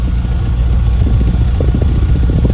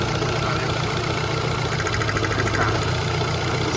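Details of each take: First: Ford Fiesta 1.6 at idle after coil repair (misfire codes P0301/P0303 from a failed coil output terminal): deep, even exhaust thumps at the tailpipe with no skipped or popping beats; all cylinders now firing cleanly. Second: Ford Fiesta 1.6 with codes P0301 and P0303: uneven, lumpy, stumbling idle with a faint crackle. A spark test finds no spark at cylinder two, pointing to a failed output terminal on the ignition coil, causing the misfire.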